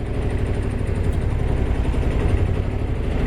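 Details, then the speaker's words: 1978 Yanmar YSB8 small diesel in sailboat, first run after 10+ years sitting in a flooded boat: slow deep even thumping at its lowest idle, steady without stumbling, before engaging forward gear; normal idle. "That's about the lowest idle I think it'll do."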